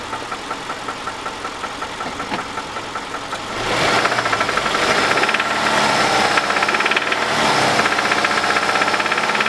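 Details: 2005 Subaru Impreza RS 2.5: steady sharp knocking about four times a second at idle, louder as revs rise slightly; confirmed by research and mechanics as rod knock from the bottom end.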